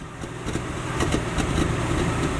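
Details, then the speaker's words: 1967 Dodge Dart 270 on a shakedown drive idles unevenly and shakes, with occasional stumbles where a cylinder drops out then recovers; an intermittent misfire causing hesitation. "you hear the misfire every now and then and it's kind of shaking a bit they don't want that come on back and we'll listen to this hear how cylinders dropping every now and then"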